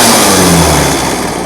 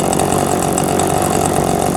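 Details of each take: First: Old chainsaw, unused about 5 years, after an idle adjustment: the two-stroke screams up at full throttle immediately and holds a high, clean rev with no bogging or sputter; healthy running. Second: Old two-stroke chainsaw unused about five years, idling and slowly dropping: runs rough, then sags and dies the moment the throttle opens; low idle jet suspected to need opening up, not confirmed.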